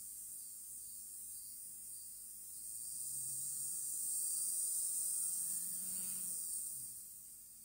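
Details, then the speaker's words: Hornby J15 model locomotive, never ran well since new, tested after soldering with worm gear removed: thin high-pitched motor whine swells smoothly and fades, spinning freely and evenly; seems better but hard to judge. "Yeah, seems better. It's hard to say though."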